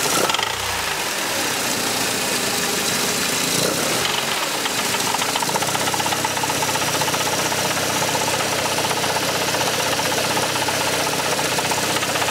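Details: Mercedes C124 230CE, 2.3 M102 engine: harsh, loose rattling knock about four times a second at low revs over a rough idle; exhaust, heatshields and flex plate ruled out; bottom-end knock suspected, cause unconfirmed.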